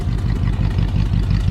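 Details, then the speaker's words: Abandoned 1959 Dodge Coronet with 2-speed push-button automatic, new plugs, wires, cap, rotor and points: low lumpy idle with steady tut-tut about five times a second on one side; misfire on that bank suspected. "Do you hear a misfire? It sounds like this side is running smooth, but I hear a tut tut tut tut tut tut tut tut. Yeah, I'm pretty sure we got a misfire on that side,"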